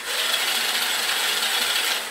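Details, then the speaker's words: 1981 Honda C70 Super Cub with rebuilt starter, bench-wired through the starter relay with spark plug out: fast, even high whir, engine spun freely with no grinding; normal starter cranking. "you can hear that the starter is actually turning the motor over now"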